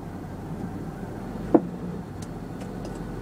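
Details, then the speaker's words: Monte Carlo at idle shifting from neutral into drive: one sharp knock (owner calls it a croak) seeming to come from the driver's side firewall behind the dash; cause unknown. "making noise up front seems like driver's side right up on my dash so neutral here comes drive"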